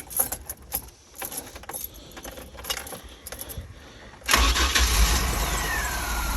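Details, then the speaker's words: Chevy Astro 4.3L van with rain/moisture no-start (ignition module, coil, distributor; P1351), after dielectric grease, raining two days: keys rattle, catches instantly and settles to smooth steady idle; normal start. "So the vehicle started right up. Normally it hesitates, especially with all this moisture in the air right now."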